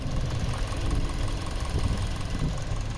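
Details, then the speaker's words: 2019 Hyundai Veloster 2.0 G4NH at about 85,543 miles, warm at operating temperature, with Amsoil 5w-20 about 7,300 miles old, just before an oil change to 10w-30: low, smooth idle hum with steady patter and no distinct tapping; normal. "Now I don't expect it to get too much quieter."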